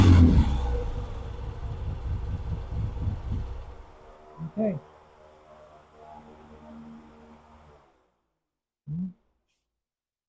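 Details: Vintage British motorcycle, rebuilt from boxes, after the pilot circuit was put right so it starts easily: crisp throttle blips rise cleanly and settle smoothly, no popping or stumble; normal revving (ammeter found wired backwards).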